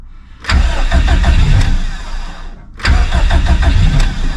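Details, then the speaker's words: Stock Subaru EJ257 longblock in an 1100+whp STI, cold at 66°, in neutral; mechanical fuel pump with no lift pump. Long cranking, a pause, a second crank, then it barely fires and stumbles; hard cold start. "takes a moment to start boys because it does have a mechanical fuel pump on it with no lift pump so I'm going to have to crank it for a moment here"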